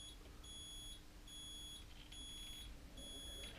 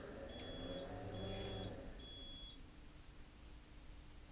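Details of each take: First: Mobility scooter after throttle pot replacement, during adjustment: high, steady reversing beeps about once a second over faint hum; the beeper triggers too early, so the pot needs further adjustment. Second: Mobility scooter after throttle pot replacement, adjusting the pot so the reversing beeps come on quicker: three evenly spaced high beeps about a second apart, then a sharp click as the brake engages. Normal reversing warning.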